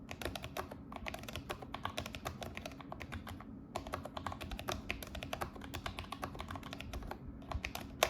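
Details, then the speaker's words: Logitech G915 TKL keyboard after foam and painter's tape mod to remove rattle: fast steady typing with crisp dull clacks, no hollow rattle or ping; normal typing sound, no longer sounds like tapping plastic. "<b>And the typing is so much better now.</b> <b>It doesn't feel like I'm tapping on plastic.</b>"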